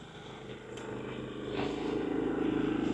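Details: Harbor Freight Predator 3500 inverter generator near end of 15-minute exercise run: quiet, even hum with soft steady drone rising slightly, no misses or knocks; running normally.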